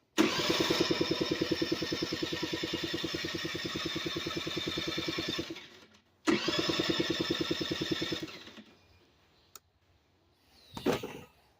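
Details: 1985 Honda Aero (about 80cc) cranks in two long starter bursts but never fires; no start for about two weeks, carburetor already removed and reassembled with no difference.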